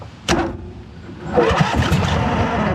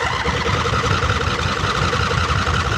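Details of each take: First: 2008 John Deere Z425 zero-turn mower, bought with no key, dead battery and old fuel; after fuel drain, new fuel filter and battery, a sharp bang then cranking with a couple of uneven pops, firing briefly but not catching. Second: 2008 John Deere Z425 zero-turn mower: old fuel drained, fuel filter, battery and spark plugs renewed; engine runs steadily on choke with an even, slightly rough putter and no misses, started and running properly.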